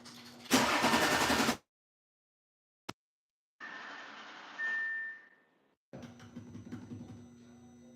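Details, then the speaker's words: Audi cranking in short bursts with pauses but never firing; cranks fine, won't start. Trouble code keeps returning, fuses checked; owner suspects relays, not confirmed. "all right sounds like it was about to turn over want to do it too much cuz I don't want to burn the starter up"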